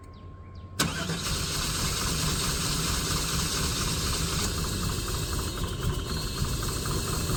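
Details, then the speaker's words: Long-neglected GMC/Chevrolet OBS V8 run on old gas, first start after sitting: starter whirr, then a lumpy, uneven, loping idle, not running on all eight cylinders; rough running, expected to settle, cause unconfirmed. "It's not running on all eight, but it's going to sit in a minute. So, we'll give it a minute."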